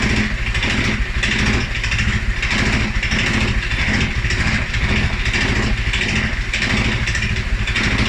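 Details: 2011 Polaris Sportsman 550 XP, EFI: low loping single-cylinder idle, about a hundred uneven surges a minute, stumbling and hunting after revving; also stumbles cold on startup. Dealer found TPS, IAC, TMAP in spec; valves, timing, new plug, 43 psi fuel pressure good; cause unknown.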